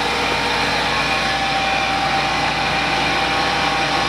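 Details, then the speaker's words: 1994 Ford F150, 5.0 V8 fuel-injected, under 118,000 miles, recent synthetic oil change, cold start after sitting 24 hours: smooth steady idle sitting a bit high with an even beat and no misses, slows on its own; only water vapor, no smoke. Normal cold fast idle. "There, started up cold. Runs a little high idle while it's cold, and it slows down on its own. It's fuel injected."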